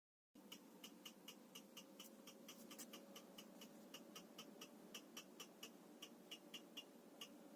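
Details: Tiko desktop 3D printer while printing, fault started after about 12 prints: sharp ticking about three to four times a second over the steady running hum; ticking sound variation 1.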